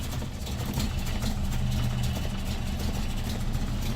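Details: 1974 Land Rover Series III with retrofitted electric fuel pump, in neutral; low steady idle with an even beat, no ticks or stumbles. Normal idle.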